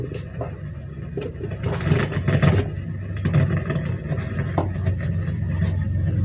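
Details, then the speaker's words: Amplifier after repair of broken PCB traces: the speaker is quiet, but the mic (karaoke) channel gives a heavy low rumble and hum with scratchy crackling bursts. "tapi sekarang yang bagian live berisik tu berisik"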